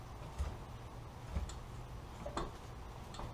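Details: 2012 L322 Range Rover front suspension: dull clunks about once a second as the front wheel is rocked, isolated to worn sway bar link ball joints.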